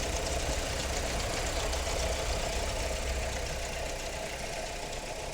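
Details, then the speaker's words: Car with engine oil neglect, recorded at idle after start; harsh metallic clatter about four beats a second, very noisy; timing chain rattle, suspected failed tensioner. "now this car is suffering from timing chain rattle now we suspect that this got a failed tensioner"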